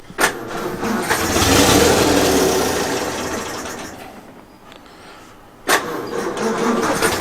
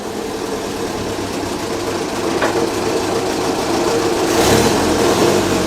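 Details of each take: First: 1932 Morris Minor four-cylinder sidevalve, little run since the early 1970s, on a 6 V battery, choke possibly still on: runs a few seconds then sags and fades out before a brief restart attempt; stalling from fuel starvation, sounds out of fuel. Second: 1932 Morris Minor four-cylinder sidevalve engine on 6V battery, idle since about the 1970s, ignition points cleaned, no coolant, little exhaust; ticks over evenly, loud and raspy from short exhaust, no knocks or misses; runs briefly, normal.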